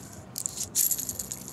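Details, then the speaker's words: Worn secondary pinion bearing from a BMW E36 (168 mm, welded) differential, removed during a rebuild and spun by hand. It gives a loose, gritty metallic rattle in short bursts: the bearing is dead and shouldn't turn like that. "Et donc, ici, vous avez le roulement secondaire. Tu vois le bruit qu'il fait? Mais il est mort, il est pas censé tourner comme ça."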